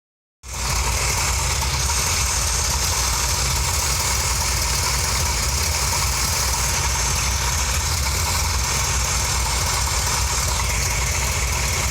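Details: Mopar 340 V8 at idle, previously rough and rich, improved after replacing the distributor cap and rotor (ignition fault, not the carburetor): deep, slightly uneven lope, pulses not quite steady; still a slightly rough idle.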